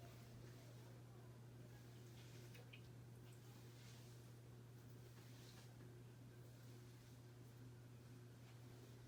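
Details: Vintage Encon Premier Deluxe 36-inch ceiling fan running in downdraft: quiet steady low hum with no rubbing, clicking or wobble; motor running smoothly.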